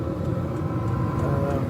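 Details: Diesel air heater in a box heating a house via a vent, exhaust outside showing a little condensation, box stays cool: steady low exhaust roar, light fan whir and faint regular pump ticking, even and unchanging; normal running.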